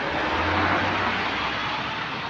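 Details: GAL EH179 electric bus on route 321, after a weird noise was fixed, heard under way: a steady low hum with a faint even electric whine under road noise and no odd knocks or buzzes; traction motors sound healthy.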